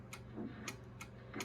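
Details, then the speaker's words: Pearce Simpson Cheetah SSB 23-channel CB radio (1972-73, same PC board as Courier Gladiator), first power-up in over 21 years: soft single relay clicks as mic is keyed and released, no chatter, much quieter than a Gladiator; normal key-up relay click. "That's so quiet. This is considerably quieter than the last Gladiator that I had."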